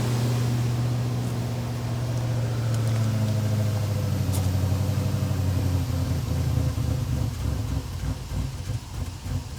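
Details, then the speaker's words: Old Jeep just bought on Marketplace, in cold weather of about 20 °F: a steady, even hum holding well above normal idle speed. The owner suspects the missing battery means the throttle body or idle air valve must relearn idle; the cause is unconfirmed. "so this thing was idling high and I thought maybe it's something to do with it not having a battery in it when I bought it"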